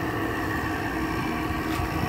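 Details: Window air conditioner at startup, still holding a full charge and blowing cold air before head pressure builds: steady, even hum with a faint higher tone, compressor and fan running smoothly without rattles; normal operation.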